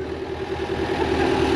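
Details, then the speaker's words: 2002 JLG 86T lift diesel engine, first start after work on a suspected blown engine: steady low idle with even firing, slight rise in level, no knocks or misses; minor fuel leak on top; normal diesel idle. "thank you for the extra parts though man she sounds good I know it we got a little bit of the fuel Lake up on top but it's an easy fix"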